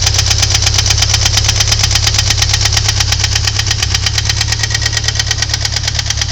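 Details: Ford Thunderbird Turbo Coupe 2.3L at idle: sharp, even tick-knock about three times a second over the engine note; owner suspects valve knock, unconfirmed.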